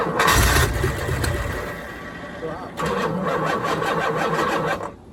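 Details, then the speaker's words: 1987 Corvette C4 V8, TPI removed and carburetor installed, gas squirted in: starter churns about four turns a second with uneven catching, never fires; owner suspects dying starter and possibly timing being off. "Sounds like my starter's dying. A lot."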